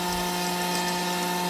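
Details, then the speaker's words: Customer-returned Grundfos SQ 3" submersible pump (SQ190/SQ200) in a test tank, pressure raised to 80 PSI (6.5 gpm) then 100 PSI (4.5 gpm); it deadheads at 120 PSI. Steady, even motor hum with no surging or rattling; normal running under high head pressure. "let's go to 80 we're at 6 1 12 gallons per minute we're at 100 we're at 4 and 1/2 gallons per per"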